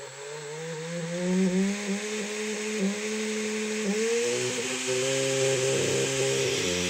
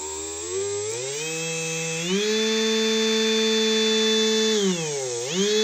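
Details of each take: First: Large brushless DC motor with rear cooling fan, run on a 30A drone ESC: high whine with wavering, stepping pitch and rough buzz underneath; motor ran unevenly and vibrated too much, so it was removed. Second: Big brushless DC motor with rear cooling fan, run on a 30 A drone ESC: smooth high-frequency whine climbs to a steady high pitch, holds, dips once and recovers cleanly, with no rattles or roughness; a healthy motor.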